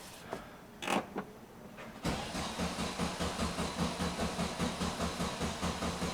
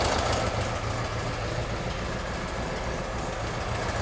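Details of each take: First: 1971 VW Bus flat-four with newly installed 34 ICT/EPC dual carbs and exhaust, ignition disconnected to prime: short starter bursts then steady cranking about 2.5 beats a second, no catch; fuel not yet reaching carbs. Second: 1971 VW Bus flat-four with new 34 ICT/EPC dual carbs and exhaust, after correcting plug-wire firing order: steady, even low idle chug, no stumble or skipped beats; running on all cylinders while carbs are balanced.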